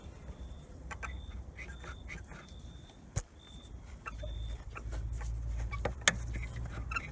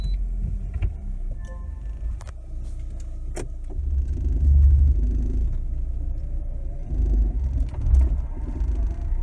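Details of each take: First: Lada Granta FL (2019), door squeaks since new (~2000 km): short high squeaks over cabin rumble and clicks while driving, a door rubber seal shifted from the middle of its place and rubbing on the frame; fixed by inserting an extra seal tied with copper wire. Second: Lada Granta FL (2019) driving over bumps after the fix, a displaced door seal supplemented with an extra rubber strip tied in with copper wire: cabin rumble and soft thuds, no squeaks or creaks from doors or trim.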